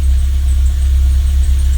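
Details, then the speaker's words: Old Renault Logan that lacked idle and started poorly, after cleaning the dirty throttle body, securing it against air leaks and adapting the idle valve: starts easily into a deep, steady idle with no hunting or surging, healthy. "не плавають і машинка заводиться з півоборта"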